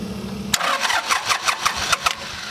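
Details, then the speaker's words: 1988 John Deere 950 (Yanmar-built) diesel tractor after a fuel filter change, with air in the gravity-fed fuel lines: starter churns in quick, even bursts without firing while the injector lines are cracked and bled, farthest first. "you can't have air in the lines you know once it gets to the injector pump it has to they can't have air in the lines so i got air in my light so i got to bleed my entire fuel system"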